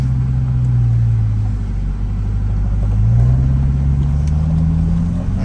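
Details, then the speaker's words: Chevrolet Corvette C8 on its first drive after a complete transmission replacement. The engine note climbs and dips cleanly at each upshift with no clunks or flare, shifts are smooth and no dash warning lights show. Normal gear shifts. "right let's see how she drives hey she shifts nice and smooth no lights on the dash"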